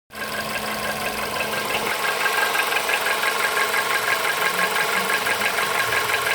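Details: VW Polo Sedan engine at idle with a quick, regular ticking knock about three times per second rising from the engine; the source is unknown; engine knock.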